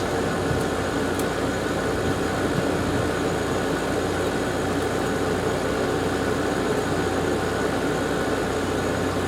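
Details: Garage A/C at its first start-up of the season after new capacitors: constant low hum under an even rush of air, no rattle or squeal; fan sounds much better than before, heat coming off, fan and compressor healthy, normal running.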